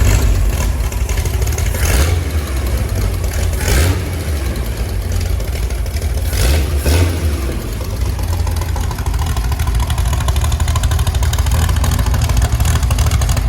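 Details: Chevy SS restoration six-cylinder engine, final start: steady low rumble with a couple of throttle blips rising and settling evenly; healthy.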